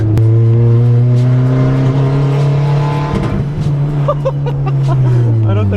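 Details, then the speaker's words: Stock Honda Civic running high boost (about 30 psi mentioned): engine holds a flat, steady pitch, then breaks into a rapid cut-and-catch stutter; the launch control limiter, set to 100, is still active while driving, not only with the clutch in. "right dude it sounds like it's hitting the launch control"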